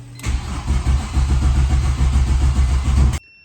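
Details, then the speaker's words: Turbo E46 BMW ZHP after tune with EWS delete, retry after resetting adaptations, many codes stored: even steady compression beats for three seconds, never runs; crank no start, owner suspects ignition coil harness. "Okay, so I threw a different harness on it that I had um just to try this."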